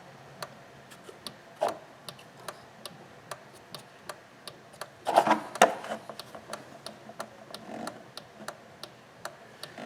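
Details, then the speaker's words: High-mileage Honda Accord with no wipers, key on, wiper switch cycled between high and low: sharp irregular clicks about twice a second from a box, with no motor running; failed wiper motor, relay clicking only. "i do hear something clicking out here hey jake you got a three second here click the click it from high to low on the wipers for me i got the key on already just keep switching from high to low"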